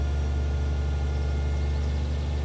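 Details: 1996 Toyota Cresta (JZX100) after fuel pump replacement fixing crank-no-start: deep, even rumble holds steady with no misses, knocks or stumbles; engine running normally.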